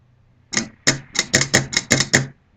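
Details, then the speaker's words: Morimoto H1 projector retrofit solenoid bench-tested by touching positive lead to old wiring; eight crisp, even clicks in under two seconds as the solenoid snaps over properly, working fine. "That's your solenoid working. You'll actually be able to see inside the solenoid moving."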